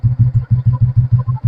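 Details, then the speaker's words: 1969 Royal Enfield Bullet, about 56 years old, started after four months standing, oil level very low and top-up planned, oil leak and some smoke noted, compression correct: a slow, even single-cylinder thump at about six beats a second, steady and deep, no knocks or misses; healthy idle. "കണ്ടോ നിലവിൽ വേറെ കുഴപ്പമൊന്നുമില്ല"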